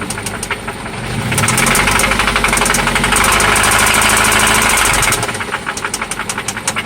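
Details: 1995 Toyota Celica ST after an oil change and new spark plugs: sharp, regular tapping about four per second over the idle that follows the revs up and back; engine knock of unknown source.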